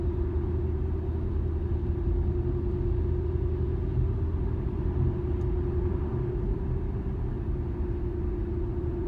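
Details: 2013 Infiniti G37S coupe: steady low hum under road rumble while driving straight, starting around 30 mph and worse at 50–55 mph. The dealer tech blamed the tires; the owner believes it's not the tires.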